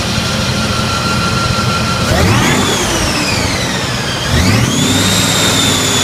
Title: Weird noise